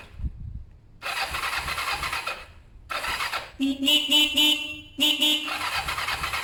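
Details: Kawasaki ER-5 twin during service after carb cleaning and new fuel hoses: repeated short bursts of starter whirring with no catch or firing; cranks but will not start. Owner thinks carbs have fuel and plans to check spark plugs.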